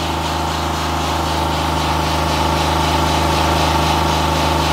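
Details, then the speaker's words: 2016 Honda Pilot 3.5 L with P2652 and check engine light: engine holds a steady raised hum, idle very high, switch voltage bouncing between 6 and 10 volts; faulty rocker arm oil pressure switch circuit. "so the engine is running the idle is very high so our voltage is bouncing around voltage is bouncing around between 10 volts 6 volts okay"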